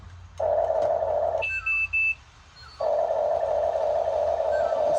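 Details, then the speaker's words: Huina 1580 RC excavator at unboxing with LiPo batteries dead or low: long steady high beep, then a couple of short chirps and another long tone, a low battery warning. "You can hear that beeping is letting me know that the battery is"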